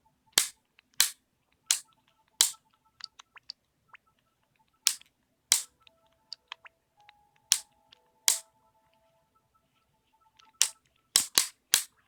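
Sharp dry clicks in uneven bursts, about fifteen in twelve seconds, over quiet system music; repeated internal clicking, cause unknown.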